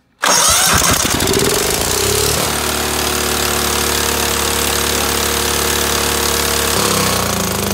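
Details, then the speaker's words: Cub Cadet 2135, throttle three-quarters open, choke closed manually, low-oil light on: engine catches at once and screams to a harsh high steady speed that won't drop when throttle is pulled back; governor spring slack, governor not holding revs. "that was running but that was ridiculously high I mean I don't even know what RPMs that is"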